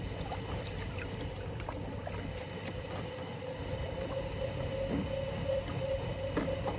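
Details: Miele 8 kg washing machine showing a drain fault during the spin cycle, with a faulty pump suspected but not confirmed. Steady low motor hum with a faint constant tone as the drum tries to spin, while the water isn't draining.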